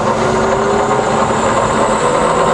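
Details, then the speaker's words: Fully rebuilt Bridgeport milling machine, variable speed head, spindle just switched to low range, running at 120 rpm then up toward the top; even, steady whirr with a faint tone, no knocking or grinding; normal, quiet spindle running. "okay so we're now in 120 rpm up all the way to the top"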